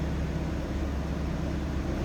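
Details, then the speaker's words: 1964 Ford Thunderbird convertible, 390 V8, heard at the rear tailpipe: smooth, steady low idle burble, no misses or popping, stock exhaust with no cam; healthy. "let's hear what it sounds like back there no crazy exhaust cam anything like that just a smooth running v8"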